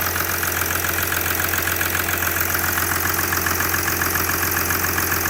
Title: OM642 R320 CDI 3.0 V6 diesel cold engine ticking knocking noise